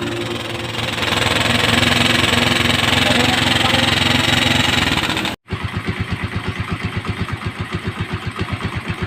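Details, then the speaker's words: Motorstar Star X125 converted to 150cc, after installing new timing gear and PAG cam follower to cure noisy top end: steady single-cylinder idle with even putt-putt near ten beats a second, no ticking or clatter; runs clean. "And then maingay nga yung makina at ngayon ay napalitan na natin ng cam follower. So nauna nating kinabitan ng timing gear, tapos gumamit tayo ng cam follower ng pag."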